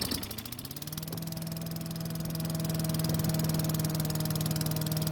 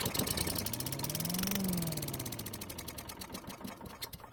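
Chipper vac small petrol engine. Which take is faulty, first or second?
second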